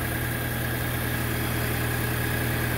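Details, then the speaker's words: MK5 VW GTI idling warm after replacing the N80 purge valve for a purge flow error: even, steady low idle with no misses, ticks or surging, and no errors; normal idle. "it's all back together now and start it up smoothly no issues no errors just a nice it's clean and"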